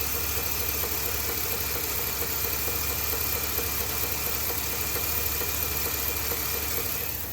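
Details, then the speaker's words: Ford F250 7.3L Godzilla gasoline V8 at idle after the dealer supposedly fitted an oil pump, leaving oil pan bolts out. Irregular ticking knock, about two per second, over the engine hum; truck towed back and given a new engine. "so still making noise it actually got towed back to the dealer they did end up putting an engine in it"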